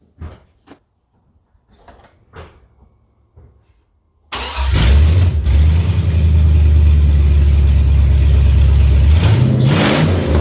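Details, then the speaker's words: 2003 GMC Yukon Denali 6.0-liter LS V8, donor engine for a Chevy K20 swap, exhaust and cats removed: quiet handling noises, then it cranks and catches into a loud, deep, even idle with a short rev; sounds healthy. "There's no exhaust on it at this point, so if you guys want to hear it, we'll see what it sounds like. I'm curious what the 6.0 sounds like with no exhaust."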